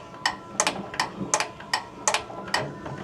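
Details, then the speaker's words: Bryant two-stage gas furnace, no heat, house at 54°F: sharp little clicks about every half second as a control board relay tries to energize but the draft inducer motor never starts; suspected bad control board. "That's the little relay, one of them energizing to bring on the draft motor. I'm pretty sure most of these usually fire off and high first."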